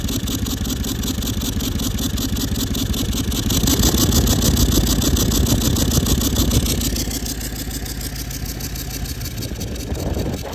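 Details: Toyota Land Cruiser 200 series 1VD diesel with a failed turbocharger, heard while driving: a thin, steady siren-like whine over the engine note, with smoke from the exhaust. Oil was changed every 5000 km with full synthetic.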